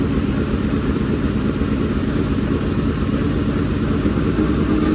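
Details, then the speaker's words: Freshly built dirt-track race V8 at break-in fast idle: an even, rapid burble with no knocks, ticks or misfires. It sounds good with no leaks. Normal running. "got to get it to them just right and we'll let it run for a while she sounds good no leaks"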